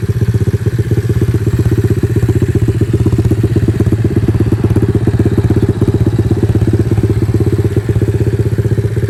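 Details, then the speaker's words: 110cc four-wheeler (ATV) after repair with new carburetor, new spark plug, wheel alignment, and loose wires and stator tested, pulling under riding: a steady, even low thump at about four beats a second, no misses or clatter; healthy. "oh yeah that thing sounds good another satisfied customer"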